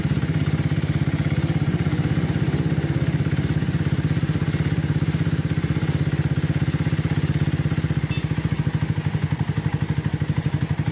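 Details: Minerva R150 Xrod single idling steady and smooth with no clatter after rough-noise and white-smoke repair, including new piston (seher); engine now runs quiet and healthy.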